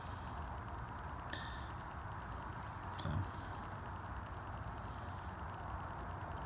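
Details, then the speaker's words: 60-inch cast aluminum Dayton industrial fan coasting down with a low even whoosh and a couple of faint ticks. Normal spin-down. "the spin down isn't bad. That's just normal spin down for these things."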